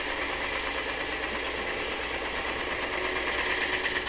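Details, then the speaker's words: Twice-turned dried wood bowl on the lathe, truing the tenon shoulder for a four-jaw chuck: steady, even hiss of the gouge with no chatter or catches, showing the shoulder is now flat. Smooth continuous cut. "nice smooth cutting sound is telling me that that shoulder is now flat back there"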